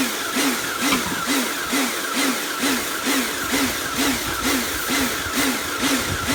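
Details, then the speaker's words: Karcher B202/K2 14 pressure washer rebuilt from two units after frost damage and motor failure: steady motor hum swelling and dipping about twice a second while cleaning works fine; cause of the pulsing unknown. "so as cleaning goes it seems to work fine i'm not entirely sure what uh that pulsing noise is from"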